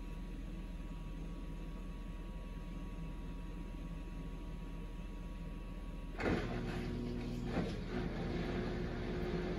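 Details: Samsung Eco Bubble WD106UHSAWQ washer-dryer drying a blanket on the 2-hour timed dry cycle, with the panel stuck showing 1 minute remaining: steady low motor hum, then soft irregular thumps of the load tumbling in the drum; normal, healthy drying cycle.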